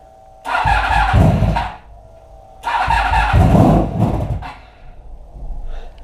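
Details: Motorcycle with new battery that sat on a shelf a year, after regulator rectifier found faulty (not charging, 12 V instead of 14 V): starter whirs briefly twice and engine fires and revs cleanly each time; starts fine.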